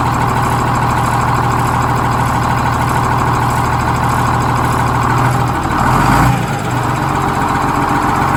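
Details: GM 4104 bus diesel at warm idle after a test drive, following a transmission swap, new clutch, rear main seal and a resealed valve cover gasket: steady low rumble, even apart from a brief blip; normal warm idle.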